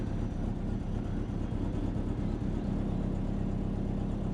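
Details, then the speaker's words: Subaru Forester turbo started after sitting under a tree, on a battery swapped in from another car; engine catches quickly and settles into a steady, even idle with a smooth low rumble, no knocks or misses; healthy start. "Sweet. I think I got the start up pretty good"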